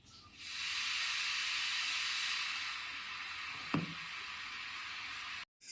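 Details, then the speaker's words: 2N3055 transistor 450W power amplifier under restoration: corroded USB socket failed to be selected, so the amp switched to AM, giving a steady loud hiss and crackle with no program sound; radio static buzz. "usப சாக்கெட்ல இருந்து rust form ஆயனால usப சரியா select ஆகாம உடனே M connect ஆகி இந்த bus sound வந்துருச்சு."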